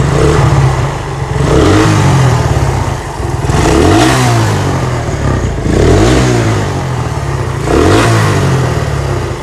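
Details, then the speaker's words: Suzuki Satria FU 150 single-cylinder with RX King carburetor fitted, kick-started easily: clean blips from idle about every two seconds, crisp pickup, no misses, idle stable. "nah dan untuk hidupnya juga sangat gampang yes coba kita geber RPM"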